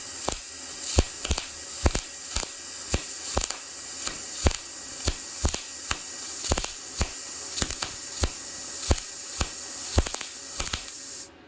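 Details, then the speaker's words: YesWelder MIG-205DS, 0.030 in tip, lower setting: arc catches and drops out in sharp bursts about twice a second over a steady hiss, never settling into an even crackle; unstable arc that improved at max setting 24. "Yeah, did you hear that? It was like it would hit, then it wouldn't, then it would hit, then it wouldn't. Inconsistent."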